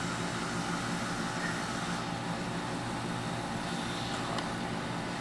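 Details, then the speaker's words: American Standard toilet after flushing out the fill valve and adjusting the too-high water level: a steady hiss of water keeps flowing into the tank without shutting off; owner suspects a worn-out fill valve, not confirmed. "See, it's still running. I guess things is fucked up. I'll do that like all the time."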